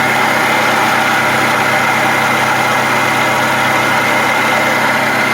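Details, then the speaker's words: Toyota 2.5L 2AR-FE four-cylinder (2011-2016 Scion tC) at idle; constant raspy whir from the water pump below the alternator, not inside the engine; worn water pump bearing, to be replaced. "noise is not coming from the motor itself coming from down here underneath your alternator is your water pump it's a common noise on these COA products"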